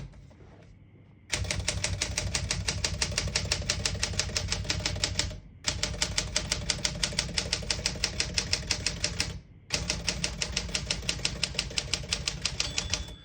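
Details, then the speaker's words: 1965 Smith Corona Sterling manual portable typewriter, margins set about 0 to 75: crisp keystrokes about three a second in runs with short pauses, margin bell at the line end. Works properly. "hear the bell, you're at the end of the margin."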